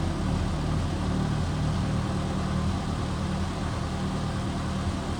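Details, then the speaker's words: Loud, raspy idle with chuffing puffs from a Peugeot 309: exhaust leak at the flex pipe clamp, tightened only on the braid, making the leak and noise worse. "C'est un coup en fait le collier vu qu'il est mal enfin il est serré que sur la tresse, c'est un coup ça fait encore plus de bruit vu qu'il y a une plus grosse fuite d'échappement."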